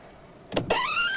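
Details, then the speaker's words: Nissan Maxima A32 wipers give clunks, then a harsh dry squealing creak rising in pitch as they sweep; the wiper blades are ruled out, and worn bushings in the wiper pivot shafts are suspected. "когда включаем дворники сдаётся ужасный скрип которые режут душу"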